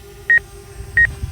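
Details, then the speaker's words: Hubsan Zino Mini Pro drone in normal mode sounding quick high double obstacle-warning beeps about every half second while an object is detected, but not stopping. "you can see where it's seeing an object uh okay let's back it up and let's go back into normal mode and you can hear it beeping but but it isn't stopping"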